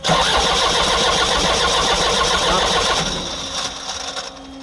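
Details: Kia Bongo with electronic fuel pump that won't start: starter churns evenly for about three seconds, roughly four beats a second, never catching or firing.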